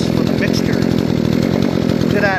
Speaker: now it's idling great check this up very responsive and my throttle launch very nice